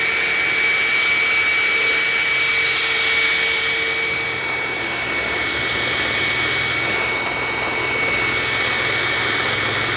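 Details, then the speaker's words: Hoover WindTunnel self-propelled vacuum, free used unit, running on carpet at high setting: high motor whine that drops lower partway through as the run turns uneven; runs very oddly and won't turn off normally, cause unknown. "boy it runs weird it runs very oddly"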